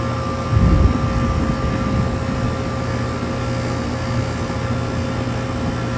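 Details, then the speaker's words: HVAC condenser unit on a no-cooling call, restarted after the disconnect is put back in following a repair, with a coil changed in April; steady low hum, even fan rush and faint constant tone, no chatter or buzzing, suction line starting to cool; normal running. "all right let's put this disconnect in and she should run yep"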